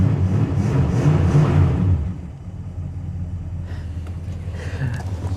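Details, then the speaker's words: 1966 Plymouth Fury II 318 V8, started after wiggling and contact-cleaning wires, before tune-up: revving settles into an even, low V8 burble with steady beat, no misfire or tapping; normal idle. "Yes. She had me worried, guys. She did. Oh, she sounds great."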